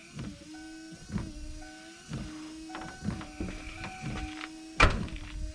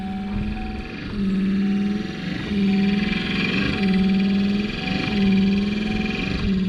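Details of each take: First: Just-replaced wiper motor on a 1993 Ford F-150, first test on low after repair: even motor hum with a soft thunk at each end of the sweep, about once a second; wipers running smoothly, normal operation. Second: 1993 Ford F-150 worn wiper motor before replacement: won't move on first notch, only works turned all the way up; loud whirring groan swells and fades about once a second with each sweep over a steady hum.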